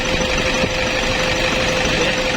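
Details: 2004 Toyota Innova 2KD-FTV D4D common-rail diesel, after the knocking was traced to the SCV and its piston swapped for the old one. It now idles steady and even with a low hum and no knock or rattle.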